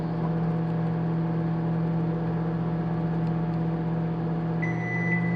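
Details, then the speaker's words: Microwave in a new-construction Dallas townhome, inspected on a 30-second heat. A steady low hum with an even fan whir and no pitch changes: it heats normally, though the indicator light did not blink. "it's heating but my little light didn't blink on and off"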